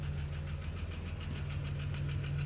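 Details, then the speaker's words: 1992 Plymouth Voyager, cold, running again after fusible-link fix; oil had metal shavings and burnt smell, fresh oil change; light quick tapping over the low idle, owner calls it fuel pump tapping; engine tapping at idle, source unconfirmed. "just so you can hear there's that fuel pump lovely tapping sound"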